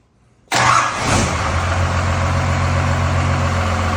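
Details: 1986 Ford F350 bullnose with a swapped-in 12V Cummins diesel, started after a week of support-system work: it catches instantly and settles to a steady, even low clatter with no misses; healthy start and idle.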